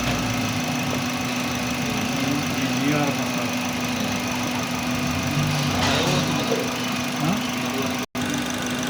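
The idle runs with a steady hum but stumbles irregularly, with uneven pulses breaking the rhythm, which sounds like a misfire. Cause suspected, not confirmed.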